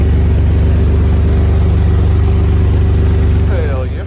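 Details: 2000 GMC Sonoma ZR2 started with fuel left in since fall 2020, with a new battery and smoking a bit: steady low drone with a slightly uneven beat; rough running, needs fresh gas.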